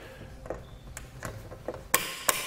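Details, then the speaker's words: Thule Fit Kit torque tool setting crossbar feet on a 2014 Ford Escape roof rack: light handling taps, then two sharp bright clicks about a third of a second apart as the torque limiter releases at set torque, meaning tight enough. "gonna hear that clicking noise which means it's tight enough"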